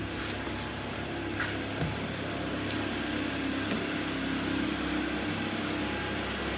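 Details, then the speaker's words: Mitsubishi Lancer 10, 1.5 4A91, automatic, about 261,000 km, rebuilt after high oil consumption, piston knock and sealant damage, warmed to operating temperature, heard from outside: quiet, smooth, even idle with no knock or tick. "Ага работает ровненько работает тихо самое главное"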